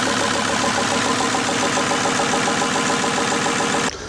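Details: VW T4 Transporter converted from a worn 2.4 diesel to a 2.5 TDI (ACV, 75 kW) with a mechanical injection pump replacing the electric one, run briefly without a radiator. Steady, even five-cylinder diesel idle with no stumbles, then shut off; runs perfectly.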